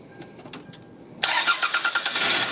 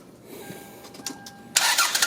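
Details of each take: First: 1996 Toyota Camry in cold snowy weather after sitting a few hours, bad battery cable connection, aging battery: slow uneven cranking about three beats a second drags before catching and idling; extended cranking. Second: 1996 Toyota Camry on a cold, snowy day, aging battery, after fixing a bad battery cable connection: short chime, then the starter spins and the engine catches promptly into a steady run; normal start.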